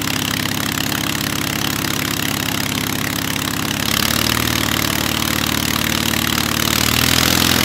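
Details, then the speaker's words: Hummel Engines 45 hp half-VW aero engine, first start, oil pressure too high, idle possibly set a little low: even, rapid beat with no stumbles, stepping up smoothly in speed twice; runs smooth, normal. "It sounds like it's running good, though. Yeah, it does. It sounds really smooth."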